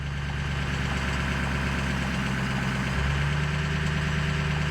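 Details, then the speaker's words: Ford Powerstroke diesel (6.0 or 7.3) at idle while a scan tool commands the VGT turbo vane percentage up; a steady diesel idle with turbo hiss rising and growing louder as the vanes close, normal turbo response. "so with this I can actually change uh my bgt or you know I can change the size of the Unison ring and as as I go up I can hear my Turbo starting to talk more"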